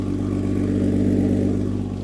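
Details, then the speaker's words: 2023 BMW M240i salvaged from a wreck, first start after a dead battery, running on distilled water in place of coolant: smooth, even rev that rises and settles with no knocks or rattles; healthy engine rev. "Dude, that sounds so good too."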